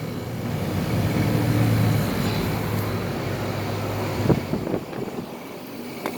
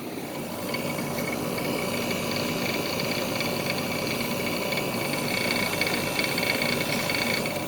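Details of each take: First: SoleusAir ductless heat pump outdoor unit starting in cool mode, suction line cold: steady low compressor hum with a faint rattle of unknown source; compressor runs normally. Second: SoleusAir ductless heat pump running in cool mode after startup, suction line cold: steady compressor and fan hum with a loose, uneven rattle on top; owner doesn't know what is rattling, but it's working.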